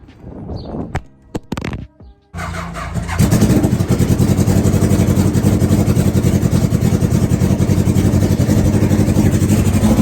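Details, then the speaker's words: NasKart engine with an old battery and a tested-good alternator, running and idling after the fuel was turned on, then an uneven popping stumble with pulses dropping out: the misfire. "Oh, wait a minute, there it goes. Here comes the misfire. There it is. That's the misfire right there."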